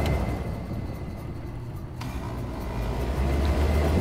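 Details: Old Trane package HVAC unit on its last leg: a click, then the condenser fan's steady low whooshing hum builds and holds evenly; the fan runs normally.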